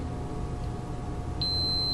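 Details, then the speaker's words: Hotpoint refrigerator defrost timer tested with a multimeter on continuity. Terminals 1 and 4 are normally closed in the run position. Quiet, then a steady high-pitched continuous beep after the timer clicks back from defrost: contacts closed. "you hear the sound that means good one four and one you don't hear anything so that mean it's open"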